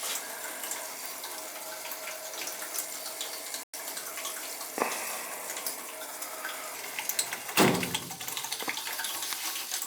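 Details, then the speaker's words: Hot-water boiler heating loop with PEX piping being purged zone by zone, return valves closed: steady hissing and gurgling as trapped air bubbles through the pipes; it goes quiet once the zone is purged. "Here comes the air now, you could hear it. You can hear the air coming now."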